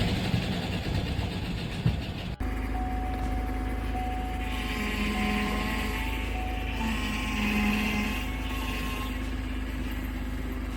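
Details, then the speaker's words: Car after a shop oil change left no oil in the engine: rough, heavy low knock under a steady drone at idle; rod knock from oil starvation. "this customer got an oil change yesterday and the shop forgot to put the oil back in it leading to this rod"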